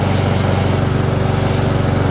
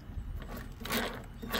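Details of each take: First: Husqvarna self-propelled mower after drive belt and wheel drive gear replacement: steady, even engine drone with smooth beat, then winds down and stops cleanly; running healthy. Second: Husqvarna self-propelled mower drive wheel spun by hand: rough, gritty grinding surges about twice a second as drive gears fail to mesh, caused by a bent wheel shaft; fixing it made the spin cleaner without grinding.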